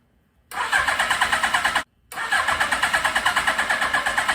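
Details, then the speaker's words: 1982 Suzuki GS1100, first start attempt in over 20 years, good compression, untuned carbs with pod filters wrapped in towel, weak battery; starter churns steadily about three times a second without catching. Owner suspects too much air, not enough fuel. Cranks but won't start. "so they're just allowing too much air in here and we're not getting enough fuel i think is what the issue is"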